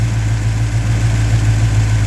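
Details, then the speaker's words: A Mopar 340 with electrical issues that stall it after warming up has a deep, steady burble with no misses. Idle drops from 750 to about 575 rpm in gear; the voltage regulator is the one part not yet swapped. "750 it dropped down to about 575 in gear for the RPM so it dropped down to about it dropped about 150 175"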